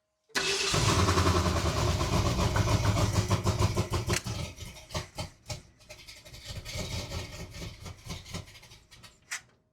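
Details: 1978 Ford Bronco after decades sitting in a salvage yard, engine freshly installed and transmission fixed, choke possibly not wanted: starter churns steadily with uneven catches that never pick up, then stops; cranks but won't fire, cause unconfirmed.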